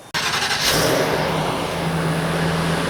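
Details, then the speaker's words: Georgetown RV, driven about 3,000 miles, low on fuel: brief crank, catches straight away and settles into an even steady idle with no misses or knocks; starts right up, sounds good. "right, guys, starts right up. Low fuel. There's no gas in it. All right, sounds good."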